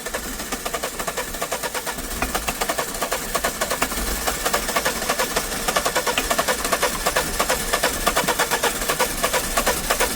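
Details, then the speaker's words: Diesel vehicle in an old workshop yard, cranking: steady rapid chugging about three beats a second, not quite even, no clean catch; won't start, suspected air drawn into the diesel fuel, not confirmed. "There you go. Diesel. That's why you won't start. You pull an air in it."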